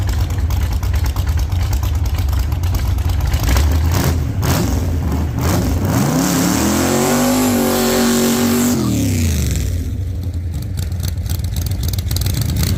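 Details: 1948 Chevy Fleetline small-block Chevy V8, 4-speed, after a fix for push rods breaking on the first burnouts: loud open-header V8 climbing hard through the revs and falling back cleanly during a test burnout, no knock or clatter, healthy.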